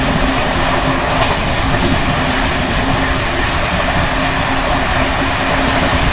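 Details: Bd264 481 coach (built 1979), Görlitz V bogies with many kilometres since last major overhaul, evening express on uneven line 190 between Hluboká nad Vltavou and Číčenice; loud constant rolling roar with dense metallic clatter as bouncing brake rigging rattles.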